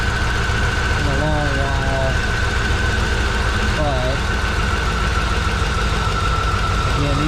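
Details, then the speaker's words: Low-mileage abandoned 1993 Corvette 40th Anniversary six-speed: deep idle with an uneven loping beat and faint whistle, no exhaust smoke, bad fuel smell, no check engine light; rough idle. "we got no smoke coming out of the exhaust but he's definitely not running that good actually"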